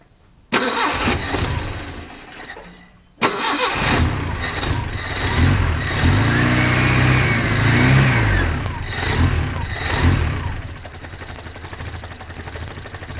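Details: 1972 Datsun 510, L20B engine, after alternator replacement, near stock carb settings: catches, stalls briefly, restarts, settles into steady even idle around 470 rpm while idle is adjusted; runs healthy.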